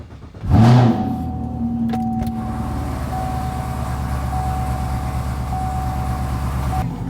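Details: Camaro with a few mods and a check engine light, getting an O2 sensor and new battery: starts and settles into a steady idle with a faint metallic rattle over the hum; source unclear.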